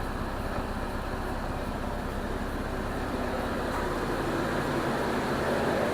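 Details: 2002 Jeep Liberty 3.7 engine after engine swap, warm idle while waiting for the cooling fan to kick on: steady, even rumble with no knocks or misses; engine runs great.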